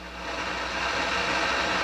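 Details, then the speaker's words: Akai GX-230D open reel tape deck under restoration, left channel microphone input: a constant hiss with no signal behind it. The noise comes from a bad transistor in the left microphone preamp; the fix is replacing transistors or capacitors. "microphone there's obviously something wrong there got a bad transistor in that left microphone amplifier"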